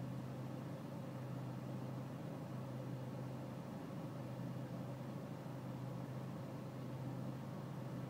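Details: BMW E46 320cd diesel at low engine and outside temperature: low, steady idle hum with a faint uneven throb underneath; a rough cold idle, cause not evident.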